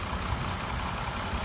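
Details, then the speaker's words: BMW X5 E70 after running about two minutes to lubricate lifters left dry from sitting: smooth, even idle with a steady low rumble and no lifter ticking, still quiet revved to 3,000 rpm. "no more ticking so all we had to do is lbe the lifters up took about 2 minutes maybe 2 minutes and a half"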